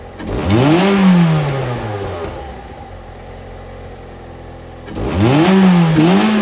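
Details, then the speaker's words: 2006 Ford Fiesta ST after exhaust repair (manifold heat shield fixed, back box welded, new 4-inch stainless tip): clean start, two sharp revs settling to steady quiet idle, no blows or rattles; previously heat shield vibrated at idle; normal exhaust note. "Quiet as a mouse now on tip over. Can't hear anything under that bonnet. I think I've done alright there with the exhaust notes."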